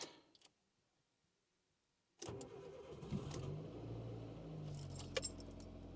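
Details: Nissan Micra K11 starting after battery reinstalled: brief crank, then engine catches and settles into a steady, even idle with no knocks or rattles; a healthy start.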